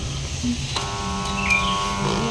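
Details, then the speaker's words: Electric air compressor that won't work: a click when plugged in, then only a steady electrical hum with no spin-up. Capacitor checked good; the piston/bearing inside is seized and damaged. "Bisa kita lihat di sini kita dengarkan sama-sama saat kita colokkan hanya terdengar ada suara dengung ya dan kompresor tidak berputar."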